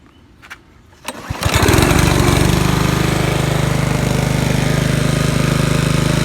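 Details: Trash-picked Honda HRC216 commercial mower (HRC6K1HXAA) on choke, after throttle lever/cable replacement, cleaned carburetor and rebuilt recoil. It catches on the second pull and settles into an even, steady single-cylinder beat with no misses, running normally.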